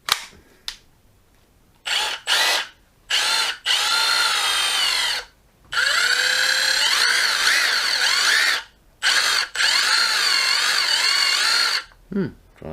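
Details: Milwaukee M18 FID Fuel impact driver, reassembled after teardown for strange noise; repeated trigger bursts of high motor whine with harsh edge at one speed, still noisier than it should be, cause unclear.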